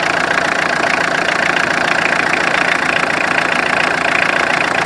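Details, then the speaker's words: Tata Indica at idle: constant hissy whine over the engine from the power steering pump, which groans when steering because the steering oil is low. "Oil है इसको मतलब कभी भी कम मत रखिएगा कम रखने के लिए आवाज आता है"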